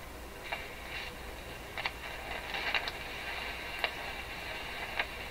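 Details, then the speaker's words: Rogers 11RA651 tube shortwave radio, all paper capacitors replaced, warming up: steady hiss with irregular sharp crackles about once a second, still noisy; owner suspects tube elements shifting as they heat. "Okay, let her warm up. Still noisy."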